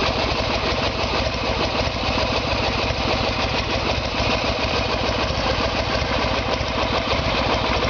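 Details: Harley-Davidson Evolution Sportster, 1996 engine in 1994 bike, after carburetor fix and timing check: steady loping V-twin idle, even speed, no misses, knocks or surging; healthy running.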